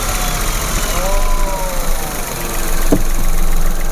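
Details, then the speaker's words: Low-mileage Nissan Micra held at about 2,000 rpm: dull, uneven knock from low in the engine, loudest on cold mornings and reduced but still present when warm; cause not yet confirmed. "Dan kondisi mesin kasar, terutama saat pagi. Mmm. Tapi lama-kelamaan dia kalau sudah panas agak berkurang suaranya, tapi tetap masih ada."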